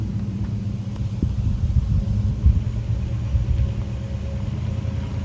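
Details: 1965 Ford Ranchero with new cam, lifters and timing chain fitted to cure a valvetrain tick, held at 2000 rpm for cam break-in: steady even low rumble, no ticking or knocking; normal fast idle.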